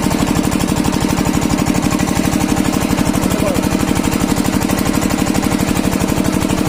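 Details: Kirloskar single-cylinder diesel engine, after diesel filter replacement to cure a starting problem: steady, even thumping about two and a half beats per second with no misses or knocks, running healthy.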